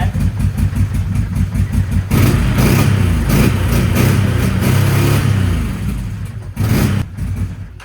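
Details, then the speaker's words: 2011 Can-Am Outlander 800 XTP V-twin ATV on a test ride, no check engine light: lumpy, uneven idle with irregular deep thumps and missed beats, running on one cylinder and barely staying alive; cause not yet diagnosed. "but it's definitely not running on two cylinders like it's running on one"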